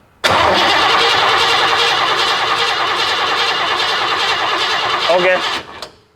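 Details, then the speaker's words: Ford F150, 39 years old: starter whirs the engine over steadily about five seconds and it never catches; test light shows no power reaching the fuel pump, wiring fault suspected; crank no start. "so the engine is cranking we do not have power going to this pump"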